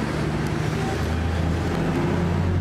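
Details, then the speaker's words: Nissan Pathfinder 4.0 V6, 160,000 km, after a budget repair for smoke: steady, even low engine drone under road noise with no knocks or misses. No warning lights, quiet; transmission expected to fail soon. "so we fixed her up let's look for the smoke no warning lights [Music] nice and quiet"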